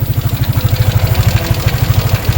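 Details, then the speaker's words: Sniper 155 at idle, about 105,000 km: light metallic clatter over the thumping beat; worn small camshaft bearing and worn cam, fixed by replacing the bearing. "So mga bossing ang problema lang nito is sc bearing. Yung maliit yan."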